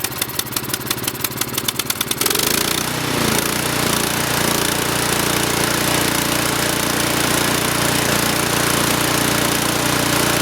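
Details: Troy-Bilt Storm 2840 28-inch snowblower, 9.5HP engine (model 31AH64Q4711), pull-started instead of electric start: steady cord ticking, then the single-cylinder catches and settles into a strong, even full-throttle run; normal cold start.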